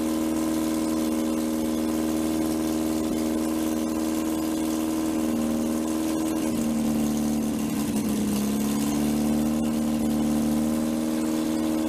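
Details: 1947 MG TC XPAG engine on a stand, first run in about 40 years with untuned carburetors, a leaking fuel line, no cooling water and 50 psi oil pressure: steady idle held slightly high, sagging briefly mid-clip then recovering.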